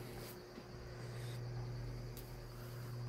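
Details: Lasko 1820 18-inch pedestal fan (2006), 16-inch-type motor, repaired after locked bearings; steady low motor hum with faint even tone, no clicks, grinding or catching as head oscillates: normal oscillation.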